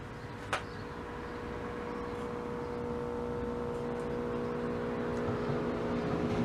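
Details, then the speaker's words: 1961 Admiral tube radio, at least 61 years old, brought up slowly on a variac to 75 V: a low, steady hum with a faint whine above it. The filter capacitor needs replacing, and all capacitors will probably be replaced. "i don't know if you're gonna hear that we're at 75 volts and there's humming in it so that means the filter capacitor well it needs to be replaced"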